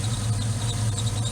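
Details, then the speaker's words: 1979 Firebird Esprit with 5.3 V8 swap idling: steady high chirping squeal from the new pulley of an ICT billet pulley relocation kit on an old tensioner, already tightened twice, cause unknown. "but that's a new pulley on an old tensioner that squeaks squeaks like hell any tip would be greatly appreciated"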